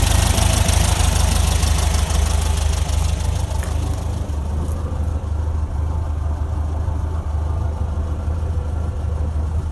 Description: 1968 VW Beetle Semi Automatic AutoStick noisy transaxle